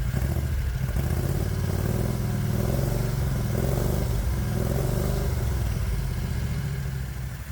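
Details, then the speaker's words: 1969 Renault R10 with a 670cc Predator V-twin, manually choked carburetor, just started cold after sitting 6 months: low, heavy thumping idle with a slight wobble, idling too low as it does when the engine is cold. "not bad oh it sounds like the idle's too low me it'll do this when the engine's"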